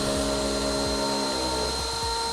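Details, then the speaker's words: DRYFT floor scrubber drying poorly: steady high suction motor whine that never changes pitch when the suction hose is squeezed, indicating a leaking recovery tank/suction pod seal. "So I'm squeezing the hose and there's no change in the noise. Now, if it was sealing properly, you would hear that difference."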